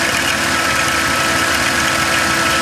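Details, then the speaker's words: 2006 Dodge Caravan, idling, heard from underneath with plastic cover removed: fast, busy metallic rattle from a worn belt tensioner pulley, pretty bad; tensioner pulley to be replaced. "okay guys you can probably hear the rattling coming from that tensioner"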